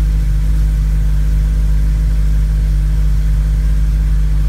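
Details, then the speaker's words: Honda running E85 with a revised Hondata FlashPro cold-start cranking fuel table, after sitting over 12 hours; fuel pump primes, catches on the first crank and settles into a smooth, steady idle: normal cold start and idle. "well there you go it starts up first crank looks like it's uh better A lot better than"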